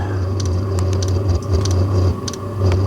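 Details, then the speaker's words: Diesel heater carbon-clogged after a night on used HV46 hydraulic oil, just relit on diesel; it flamed out last time with the glow plug running. Low pulsing roar surging and sagging unevenly, scattered rattling ticks, some smoke. Rough running, later went out again. "It's not sounding great, but it's lit. Is it going to stay lit this time or is it going to flame out again?"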